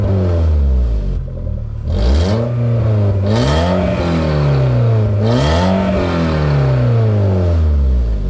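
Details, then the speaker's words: VW Mk4 Bora wagon, 1.6 16-valve, muffler removed; repeated revs with a loud, deep, open drone; exhaust leak, owner suspects he broke the pipe further up while shaking the exhaust. "Actually, I'm hearing it more over there than over there. I think when I was shaking this back and forth, I may have broke the pipe further up."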